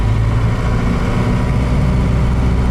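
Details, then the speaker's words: Old Ford truck with four-wheel drive, manual hubs and limited-slip front, cruising in snow after a tape fix on the front driveshaft: steady low drone with no rhythmic clunk or vibration; driveshaft noise not heard, driveline running normal. "so far i don't hear the drive shaft you know it could even have a tiny little ball of weld in it that's making that noise so far i'm not really hearing it"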